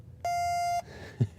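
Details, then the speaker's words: Computer in the BIOS setup while trying to change boot/secure settings: a single steady mid-pitched beep about half a second, then two soft key taps; BIOS refusing the keypress, cause suspected. "It's beeping at me."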